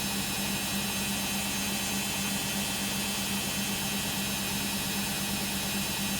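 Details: Beko WM5100W 5kg street-found washing machine, plumbed in, with rags, during a long spin of about 10 minutes: a loud steady whooshing roar with a constant low hum; noisy, possibly the motor, cause unconfirmed.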